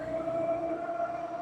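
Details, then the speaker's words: Mokwheel Obsidian ST e-bike cruising after lubricating the front hub: smooth, steady mid-pitched hum with no squeal or grinding; the earlier front-hub whine is fixed. "So, that's all it was. Sorry I had to suffer through the noise for the video, but the good news is I fixed it."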